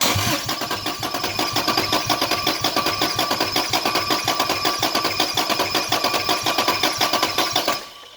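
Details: Toyota Cressida with 2JZ engine swap, LQ9 coils being wired (spark confirmed on test coils): steady starter cranking about two turns a second for eight seconds, never catches; crank-no-start, later found to be missing power to injectors and coils.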